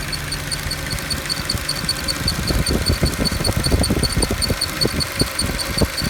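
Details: Mercedes E63 at steady idle with a faint high ticking, then uneven knocks and clacks building after a couple of seconds; abnormal noise that appears to come from one of the fans.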